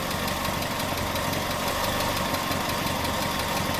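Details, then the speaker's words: Datsun truck after engine bay overhaul with new ignition coil, engine hot: even idle near 800 rpm, up from 750, steady beat with no stumbles; smoother with fewer vibrations and misfires than before. "sounds more or less the same maybe a little smoother also it does feel a lot smoother I don't feel nearly as many vibrations or shaking or misfires or whatever you want to call it"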